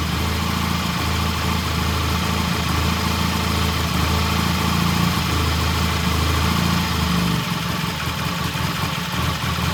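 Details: 1968 Triumph T100 twin with a new battery, after cleaning the pilot jet (set to 1 1/2 turns) and raising the idle slightly: steady, even low thump held for ten seconds without stumbling; healthy idle.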